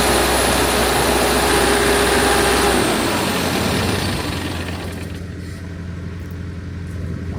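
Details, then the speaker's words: Diesel generator with intake left off: uneven, lumpy beat that stumbles before dying down, running rough; temp gun shows one cylinder still cold, so owner suspects an injector; oil also pushing out of the head gasket. "So this cylinder, a little iffy. That one's still cold. So that's leading me to believe it's injector."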